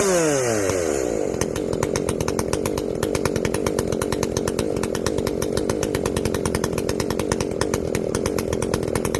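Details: Echo CS-590 chainsaw after carb limiter removal and opened-up exhaust, high jet turned up a full turn plus low jet richened: crisp, even high-revving buzz steady under cut, snapping cleanly through rev changes; well tuned, not running hot.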